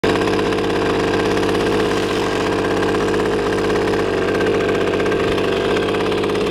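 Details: 1981 Riga-22 two-stroke moped, left broken and unused for 20 years, on a test ride after a major engine overhaul (GPS max 41.4 km/h): an even, continuous buzz at steady speed with no knocks or misses; runs normally.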